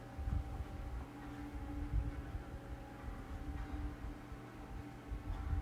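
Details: 9-inch Summer Breeze USB desk fan after earlier no-run problems: low even hum, steady tone, gentle airflow rumble, no rattles or speed dips; normal running.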